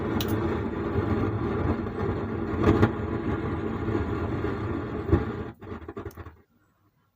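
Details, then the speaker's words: Sound Standard CA20 amplifier at switch-on: rough crackling rush with sharp pops from the speaker even at zero volume. "इसको on करने से यह जो आवाज है ये आवाज हो रहा है और वॉल्यूम देने से साउंड भी आ रहा है लेकिन इसमें जो एक झड़ झड़ झर झड़ एक आवाज आ रहा है तो इसी प्रॉब्लम है"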